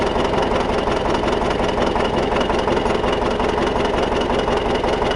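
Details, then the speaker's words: T-170 bulldozer (no cab) diesel started after repair, idling with a deep, even clatter and a steady beat, no knocks or drop-outs; healthy normal idle. "Заводився. Так, начало є."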